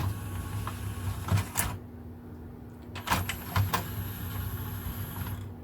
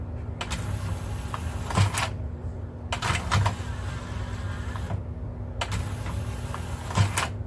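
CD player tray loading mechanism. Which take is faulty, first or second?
first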